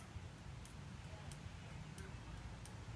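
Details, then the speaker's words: 1973 Honda CB750 after replacing the original turn signal relay with an electronic relay: crisp, evenly spaced ticks about one and a half per second, more consistent than the original relay's delayed, irregular flashes. "I turn it on and I've got a electronic relay and you can hear the ticking in the turn signal is much more consistent"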